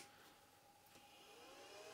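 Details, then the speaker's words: External SCSI hard drive enclosure for a Power Macintosh powered on: loud, steady jet-like whooshing whir of the fan as the drive spins up, faint constant tone, no rattle or scrape; noisy but normal. "the fan and there's the hard drive spinning up okay so it's kind of like a jet engine"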